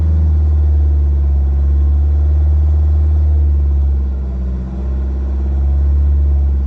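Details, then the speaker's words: Vauxhall Vivaro B 1.6 CDTi diesel after a fuel filter change, revs held at about 2,500 to push air through the filter. Steady, deep, even drone at raised revs, no dips or stumbles; the engine runs cleanly and keeps going. "and then what you want to do is start it and if it starts straight away pick up the revs and hold them about 2 and a half which sometimes if you look it'll just keep it running enough to get the air through the filter without it cutting"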